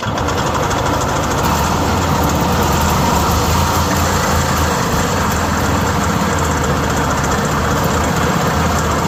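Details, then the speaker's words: Yamaha G1 golf cart single-cylinder engine after repairs, now running: steady, even thrum at constant speed with no misses or surging; sounds much better than before, normal running. "I promise you that sounds a lot better than it did and it worked."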